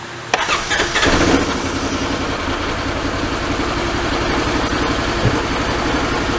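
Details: Ranger UTV test-fired after a new fuse block was fitted and the battery hooked up: the engine catches within a second of cranking and settles into a steady, even idle with no misses. Normal start and idle.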